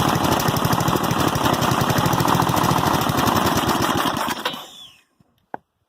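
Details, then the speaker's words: 1988 Westwood T1200 ride-on mower, 12 hp Briggs & Stratton single-cylinder petrol engine, after governor spring replacement, a little throttle on: even rapid thumping at a steady fast idle, no misses, clean shutdown; runs right, idle a touch high. "So yeah, I think that's running about right. Probably idling just a touch too high, but I'll leave it as that for now."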